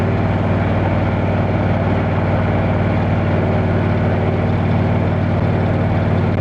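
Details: Motorcycle on a road test ride after replacing the failed exhaust gasket with a similar-thickness one: steady, even engine note with regular pulse, no ticking or puffing from the pipe; exhaust leak fixed, healthy exhaust.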